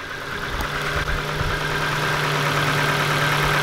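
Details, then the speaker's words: 2007 Ford Focus just after oil, filter, spark plug, plug lead and air filter change, hard to start: steady idle with constant low hum and thin tone, no clear knock; owner wonders about film on the new plugs, unconfirmed. "haven't heard that sound the only thing i can think of is which is uh because we changed the sparkles completely whether or not there's some sort of like film over him or something"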